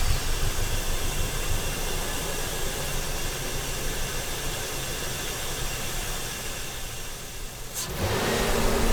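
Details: Truck after fuel injector cleaning at 2 years and 35K miles, injectors refitted: engine catches and settles into a steady, even idle under a hissy background, no stumbling.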